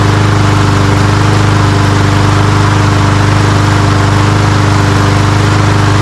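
Steady, even single-cylinder putter at a constant pace with no misses or surging; the mower is running smoothly and healthy.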